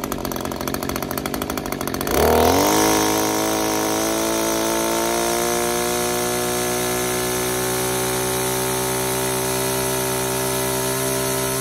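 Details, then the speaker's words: Older Echo string trimmer two-stroke with new HiPA replacement carburetor at full throttle: note jumps up and holds high, then sags as high-speed screw is turned in too far, lean; backing off restores rpm. "i went a little bit passed and tightened it in a little bit too far the rpm started to come down"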